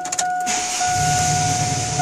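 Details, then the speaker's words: 2001 Chevrolet C1500 with the 4.3L W engine, after new head gaskets and cylinder head machine work, still warm from a 71.6-mile test drive: catches almost instantly and settles into a steady, even idle. Oil pressure is good and there are no engine lights. Healthy start. "fires right up oil pressure is good jumps right to the top still a little warm from where i test drove"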